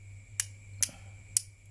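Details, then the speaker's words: Refrigerator defrost timer turned left: crisp clicks over a faint hum. The first, smaller click is the defrost position (pin 2); the second, louder click is the compressor position (pin 4). Normal detent engagement. "sampai berbunyi suara klik yang pertama yang suaranya lebih kecil. Jadi posisi itu posisi defrost, yaitu di pin nomor 2."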